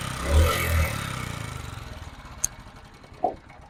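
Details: Honda CD 70 motorcycle engine, noise starting once slightly warm: after a couple of blips settles to idle with light, fast, even top-end ticking; tappet noise from excess valve clearance, before tappet adjustment.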